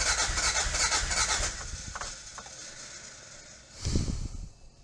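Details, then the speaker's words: 1986 Toyota MR2 AW11 parts car still getting no fuel after a fuel tank replacement, earlier backfiring; a short burst of fast starter cranking never catches. It cranks but won't start, and the owner suspects the injectors aren't working. "It's trying. It's trying. It's trying. Come on, baby. Come on, baby. It's trying. It's real close. It's really close."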